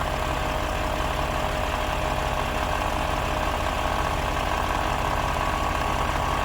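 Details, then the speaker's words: Audi Q7 at idle right after replacing the air suspension compressor and valve block: constant mid-pitched electric whir over the engine as the rear, then front, rises; compressor operating normally. "There's the back going up, just as it's meant to. Bit of luck, the front will do the same. I can hear the compressor going."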